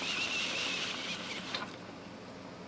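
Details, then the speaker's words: Vintage Hankscraft model 202A vaporizer humidifier, probably 1950s, with salt added to the water: steady fizzing hiss of water at the boil stops instantly when unplugged, then a sharp click; normal operation. "so on off you can see it stops instantly and when I plug it back in it starts back up instantly so it does keep that water right right on the edge of boiling or not"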